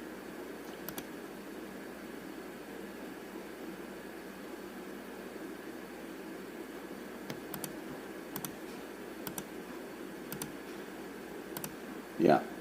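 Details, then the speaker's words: 2010 GMC with P0455 large EVAP leak code: vent solenoid commanded via scan tool clicks crisply about once a second, functioning physically though leak not ruled out; cause later found as tank pressure sensor. "that's physically clicking - but again it doesn't mean it's not leaking"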